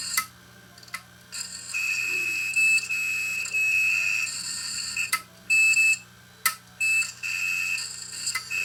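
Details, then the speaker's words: Opened failed 1TB Western Digital hard drive from a failed DVR, screwdriver stuck in to try scratching the platter: irregular high beeping bursts, about six in eight seconds, over a quiet spinning hum; doesn't sound good, drive is shot. "Wonder what happens if I stick a screwdriver in here and scratch the surface. I don't even think I scratched the surface. Doesn't sound good."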